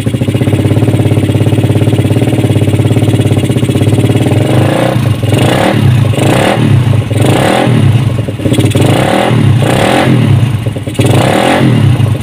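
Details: Suzuki Satria FU single-cylinder with racing exhaust, complaint of rough engine, owner suspected loose valve clearance but clearance measured standard; idle and repeated blips show coarse mechanical roughness under the loud exhaust, traced to intake camshaft wrongly machined by previous mechanic.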